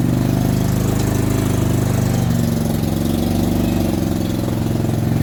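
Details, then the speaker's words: Dixie Chopper 60-inch zero-turn mower with a V-twin, throttle jammed wide open, suspected firing on one cylinder: the engine runs heavy and laboring, and its pitch sags and it nearly stalls when the blades engage or the steering puts load on it; cause not found. "the minute i either turn on the blades it wants to kill the motor or the minute i try to drive it and put pressure on it by using the steering arms it wants to slow down and die again"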